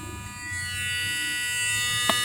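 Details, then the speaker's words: 1998 Honda Accord, engine off, key on: constant high electrical buzz from a leaking cylinder-shaped part, owner suspects the shift solenoid, unconfirmed; electrical buzzing with ignition on. "You can hear the noise. I'm gonna show you. The car's not even on. The key just in the on position."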